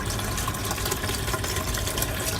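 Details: Aqua One MiniReef 150 sump, drain standpipe, before noise mod (later filter mat added), running water only to test plumbing: loud constant splashing and gushing as water drops into sump. Noisy sump drain.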